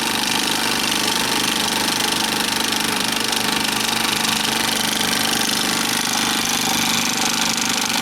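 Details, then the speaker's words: Bell & Howell 2575 16mm Filmosound projector, side panel off, running in drive without film: fast steady clatter about three to four ticks a second over a light whir; worn, cracked nylon drive gear clatter; lower sprocket gear and worm gear need replacing. "It's really a shame too. I mean, it actually doesn't run too badly, but I'm afraid to thread film into it because Lord only knows what'll happen."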